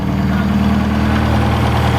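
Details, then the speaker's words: 1967 Toyota RT40 Corona engine, first run: steady even low idle with smooth unchanging beat, no knocks or misses, "just like a bought one"; normal idle. "just like a bought one all right it sounds pretty cool too"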